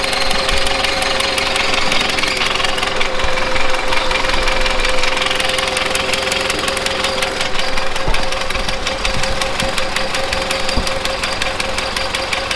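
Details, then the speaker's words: 1970s Bolens QT16 tractor that had been sitting a long while, running at half choke after a gravity-fed fuel line reconnection: uneven, lumpy firing with stumbles. Rough running; the carburetor needs cleaning out. "it's about half choked so that carb needs cleaned out it's not running so great obviously remember this is yeah we're gonna have to clean that carb out for sure"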